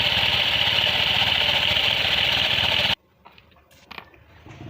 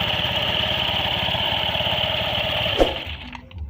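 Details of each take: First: Honda Scoopy at 30–50 km/h: harsh, gritty whirring with pulsing rumble and jerky feel from the rear CVT, V-belt wobbling; loss of power traced to a dry, ungreased clutch bearing. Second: Honda Scoopy scooter CVT opened and running after lubricating the clutch-unit bearing that caused rough rumbling and vibration at 30–50 km/h: even whir and steady engine beat, no harsh noise; normal CVT sound, road test to follow.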